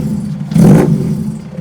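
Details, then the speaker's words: BEAMS-swapped Toyota AE86 just dyno tuned, first start after tune, cold: short clean rev climbs and falls back with no misfire or stumble; engine sounds healthy and crisp, "like a beast." "That's it, it runs. Dude. That sounds like a beast, man."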